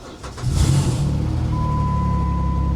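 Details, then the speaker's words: 2002 Ford Thunderbird salvage car with the throttle-body intake disturbed and a fuel-system fault suspected; on a booster pack it cranks briefly, then fires right up into a steady, even idle with no misses. It starts and runs normally. "fired right up"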